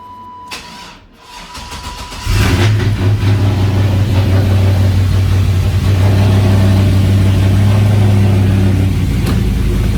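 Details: Porsche Cayenne that had not been started in over a week, after a jump start; engine catches after a couple of seconds and settles into a steady, even run with no misses or knocks, healthy.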